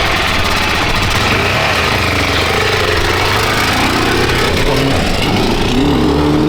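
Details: Freshly restored and rebuilt Honda XR600R big single (one owner, 7,400 km, had low compression), started first kick: steady even idle, no knocks or rattles; healthy running.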